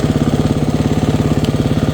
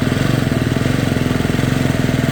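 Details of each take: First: Single-cylinder off-road bike after fixing intermittent stalling with a new fuel injector (it had hung open) and a replaced cracked spark plug boot: a quick, perfectly even idle, no longer dying on throttle blips, though the plug shows it ran slightly rich. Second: Fuel-injected single-cylinder dirt bike that repeatedly stalled on a desert ride. It runs with even low pulses, then stumbles and wavers as if dying. It dripped gas with the key on and the airbox filled with fuel, suggesting a flooding injector; the spark plug boot also had a hole.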